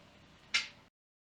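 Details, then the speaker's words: 2017 Chevrolet Cruze hatchback rear crackle over small bumps, sometimes when turning: single sharp bright crack over quiet cabin hum; common 2016–2018 Cruze/Volt issue with a TSB fix. "It happens over small bumps and uh also sometimes when you turn or lift the car. It's kind of annoying, but you're going to hear it again right over here."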